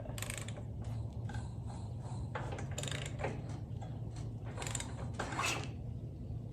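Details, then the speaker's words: Gravely 816 tractor with four-speed transmission, long sitting, engine turned over by hand: slow irregular rasping and ratcheting with compression felt, suspected scraping or friction inside a cylinder, not confirmed; plugs to be pulled. "well it's acting like there's something scraping really bad on maybe this cylinder but it's been sitting a while"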